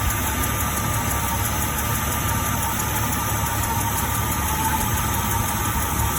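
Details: 2000 Jeep Cherokee XJ at idle with a fast, light ticking riding over the engine note; source not pinned down.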